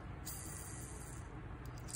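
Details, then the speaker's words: Fishing reel high-speed bearing, unoiled, flicked by hand: thin shrill hiss rising and dying within a second, loud because it spins very fast; special high-speed oil (Abu Garcia) would quiet it. "ini namanya high karena memang dia high-speed ya teman-temannya jadi putarannya sangat kencang mangkanya suaranya agak nyaring"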